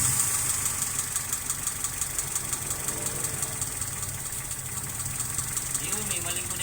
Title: 4g33 rough idle due to vacuum leak